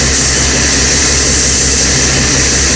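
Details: 1975 Kenworth LW924 in-cab air tank: loud steady hiss with faint low hum, the big air leak heard all along, found where corrosion and wear ate through the tank fitting beside a stud.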